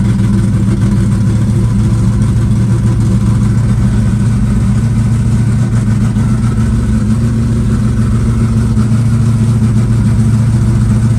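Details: Green Chevelle just cold-started at about 20°F in snow, static compression just under 14:1: a strong, even low rumble holding a steady idle with no stumbles or knocks; already idling smoothly without choke.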